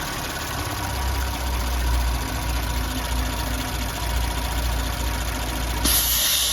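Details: Audi B9 S4 with 48k miles at idle after the rocker arms were replaced. The idle is smooth and steady with an even low drone and no top-end ticking, so the valvetrain sounds quiet and healthy.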